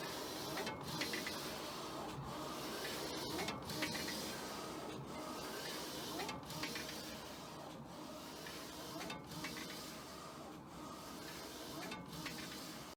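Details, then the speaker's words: Old wide-format printer after the correct paper type was selected, having made loud mechanical noises with the wrong setting: soft rasping feed with an even sweep about every 1.5 seconds, no clacking or grinding; printing normally. "I don't know what the heck causes that but it was horrible and now it's printing again great"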